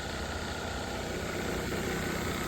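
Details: 2010 Mercedes ML350 that arrived dead with no communication after the headliner dropped; the single-wire CAN line short was traced to the overhead control panel. Now it settles to an even idle with a steady low rumble, no stumbles or knocks. Normal idle.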